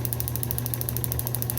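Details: Restored Fairbanks Morse FM-J 2B 6D magneto for a 1938 John Deere G, formerly corroded and frozen, rotor rebonded, points 0.018 in: crisp, regular snapping about ten per second over a low motor hum, none missing; healthy spark.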